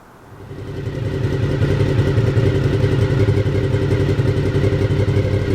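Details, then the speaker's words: Honda VFR750F RC36 V4 started after the exhaust was refitted: it catches and settles into a steady, smooth burble with an even beat; sounds healthy. "i'll tell you what now we've got that exhaust back on in place let's start it up again and listen to that v4 engine"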